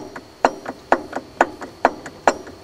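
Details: 1995 Ford F-250 4X4 being serviced: sharp wooden clunks about twice a second, each followed by a lighter knock, as a pulley with play rocks back and forth; power steering pump recently flushed showing lateral play, cause suspected, not confirmed.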